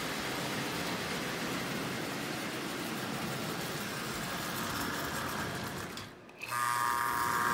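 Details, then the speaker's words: Marx 994 toy locomotive, motor likely unrun for 20–30 years, only oiled, sparking at wheels: steady coarse buzz running in reverse, then a brief thin high tone; the E unit itself makes the noise; buzzing in reverse. "it doesn't like reverse that's the truth it's really buzzing in reverse that's the unit itself making that noise"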